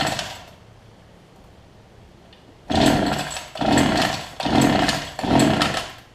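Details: Older Homelite two-stroke hedge trimmer after new fuel lines and primer bulb, 40:1 fuel mix: quiet pause then four rising-and-falling revving bursts about a second apart, catching cleanly; runs properly.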